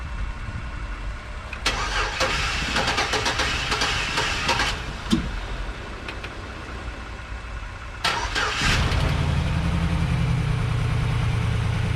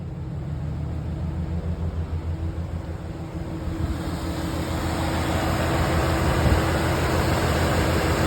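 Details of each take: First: 2011 GMC Sierra 1500, 110,000 miles, with a junkyard replacement V8 first started with the alternator unhooked: sluggish, labored cranking in two tries from a weak battery before it catches and settles to a steady idle. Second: 2011 GMC Sierra 1500, 110,000 miles, with a freshly installed junkyard V8 on first run: a smooth, even idle under rising fan rush, no ticking or knocking, running pretty good; some parts are still unhooked.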